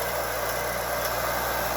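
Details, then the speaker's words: Bauer 6-inch bench grinder with wire brush: steady, even motor hum with constant high tone, very little vibration, fairly quiet; earlier ticking was a wire piece hitting the shield; running normally. "smooth running very little vibration it's not very loud either it's pretty quiet"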